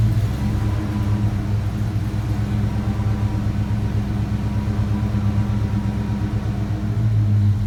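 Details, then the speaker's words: 1987 Ford Mustang SSP, sat a year and a half, battery 12.2 V, after earlier stall and voltage drop: low steady rumble held on throttle, not settling into idle; may not idle on its own when throttle released. "i let off the throttle all the way to see if it would idle by itself"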